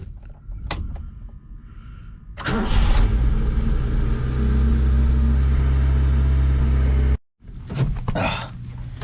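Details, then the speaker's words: Car's engine catches and settles into a steady idle with a harsh, raspy exhaust edge audible over the fuel pump hum; exhaust lacks a resonator, which is to be fitted. "hopefully you guys can hear that raspiness over the fuel pump so let's get this car jacked up and figure out where we're putting this resonator quick"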